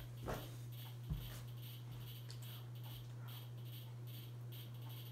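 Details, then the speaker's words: 42-inch Hampton Bay Landmark III Plus ceiling fan (2019 remake) on medium speed: a quiet, steady low hum from the motor buzzing, present on low, worse on medium and loudest on high. "Here's low. Probably hear the buzzing noise it makes, but gets even worse on a medium and high. High is its loudest speed."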